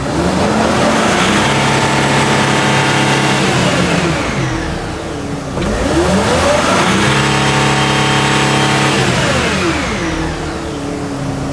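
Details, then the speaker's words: Mercedes Sprinter van, 3.0L diesel, with DPF codes (DTC 2626), limited to under 50 mph, turbo reportedly replaced. Revved from idle to about 4000 rpm, it gives a clean turbo whistle rising and falling with engine speed, so the turbo sounds healthy. "I can hear the turbo whistling under the hood so that's good the turbo is most likely good and we were told that the turbo was changed"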